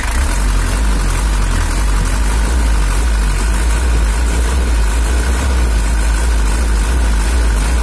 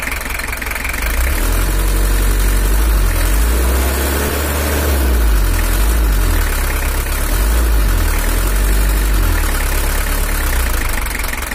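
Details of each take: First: Toyota Hiace LH11 diesel (2L) after engine tuning: steady low rumble with even beat, no knocks or misses; throttle lighter and more responsive, running considered good enough. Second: Toyota Hiace LH11 diesel (2L) pickup during engine tuning: idle rises and falls every few seconds with lumpy shaky knock underneath; better than before, but a camshaft or unevenly spraying injector nozzle suspected, not confirmed.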